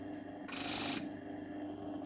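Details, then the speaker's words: Salzburg Amadea grain mill, empty, motor running: steady motor hum then harsh half-second scraping rasp as stones touch with knob turned toward fine; must be avoided, turn immediately toward coarse. "you turn the knob fine and then you hear the stones touching okay grinding the stones against each other must be avoided at all costs as soon as you hear this sound you must immediately turn in the course direction"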